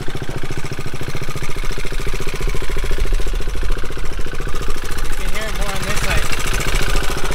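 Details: Motorcycle idling with a steady, fast, evenly beating clatter. Suspected internal wear after a previous owner ran the wrong oil long enough to leave metal chips. It will be checked for chips again after 500 miles.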